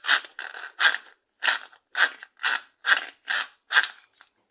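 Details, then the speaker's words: Consul Facilite washing machine scraping and banging during wash: harsh rasping scrapes about twice a second; worn clutch kit dragging on the gear. "o planície e esse camisa aqui ó e a peça é o kit que se danifica e acaba fazendo a máquina fazer K K K K K K K"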